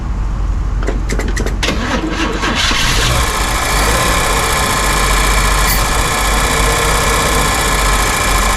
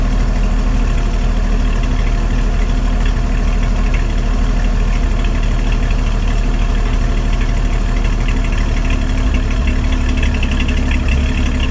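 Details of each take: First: 1955 Chevy with new exhaust, running on fuel squirted into the carburetor because the tank sending unit is inoperative, temperature gauge just under half: cranks, catches, then a rough idle with a steady high buzz; owner suspects something hitting the fan, cause unknown. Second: 1955 Chevy after a new exhaust head pipe and small muffler, running only on fuel poured into the carburetor bowl: steady, deep, throaty exhaust rumble at an even idle with no ticks, knocks or leaks; normal exhaust note.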